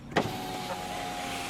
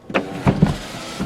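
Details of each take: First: Toyota Camry sunroof after lubricating with silicone synthetic grease, heard inside the car: steady even motor hum about five seconds, no clunks or jerks, soft stop while closing; the earlier clunk is gone; normal sunroof operation. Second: Car power sunroof clunking when opening: a few dull thumps as it starts to move, suspected dry sticking seal/track needing silicone synthetic grease; cause unconfirmed.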